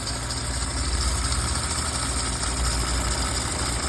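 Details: Audi A6 3.0L at idle: thin high whistle as the coolant-contaminated alternator belt slips; coolant leaked from the water pump vacuum solenoid valve, contaminating vacuum hoses; water pump, solenoid valve and all vacuum hoses need replacing.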